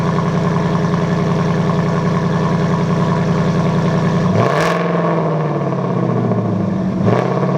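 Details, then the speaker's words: V8 with Roush Active Exhaust, driver's side valve replaced after actuator internal failure; rear of car, track mode with valves open then touring: loud, even V8 rumble with clean rev blips, exhaust working normally after repair. "I'm going to put you guys behind the car, and I'll start it up in track mode, which means the valves should be open. And then I'll put it down to touring, and I'll show you guys the difference."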